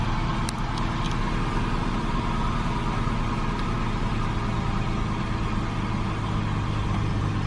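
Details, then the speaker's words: BMW 760Li direct-injection V12 idling just after fuel injector cleaner was added to the tank: steady even low rumble, no knocks, ticks or misses; sounds perfect, healthy idle. "sounds perfect"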